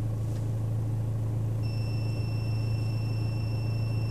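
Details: BMW E90 with A/C on: a steady low hum under the dash, then a thin high whistle, from the A/C blower fan under the windshield. Spraying it with WD-40 fixed the noise.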